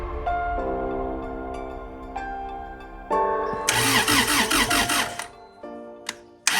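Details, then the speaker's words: Honda CRX that previously had spark then lost it, after distributor internals replaced and ECU fuse swapped: engine cranks steadily about a second and a half with no sign of firing; crank no-start, no spark. "Crank it. I need you to crank it though. Yeah. No spark. This is the face of defeat."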